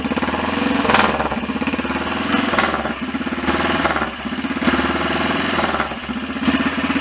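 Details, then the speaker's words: BSA DBD34 Gold Star 500 scrambler single, after carburettor work: steady idle thump with open-primary chatter; earlier dry scraping gone, likely something just touching; normal idle. "At least it doesn't appear that the noise was anything more sinister than that, because it's gone now."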